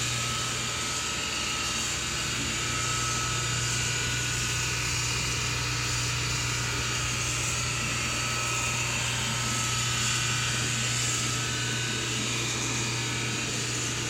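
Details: SPT countertop dishwasher, loud steady whirring grind with low hum throughout the wash cycle, not while draining, seeming to come from back left bottom; screen, filter, intake and drain hoses already cleaned, dishes come out clean; owner suspects pump, cause unconfirmed.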